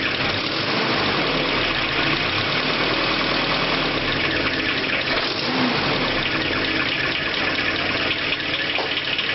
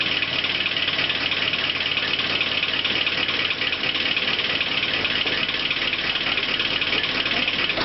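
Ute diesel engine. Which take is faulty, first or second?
second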